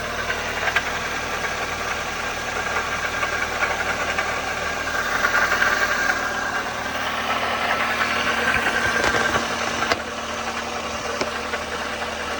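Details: '04 Toyota Matrix XR 1ZZ-FE, 5-speed manual, 174,400 mi, burns ~0.5 qt per oil change; at operating temp, light uneven metallic rattle over quiet idle, noticed ~1500 mi earlier; engine rattle, source not pinned down.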